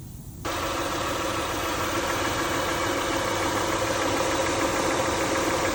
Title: What is making noises when AC on ?? #mechanic #car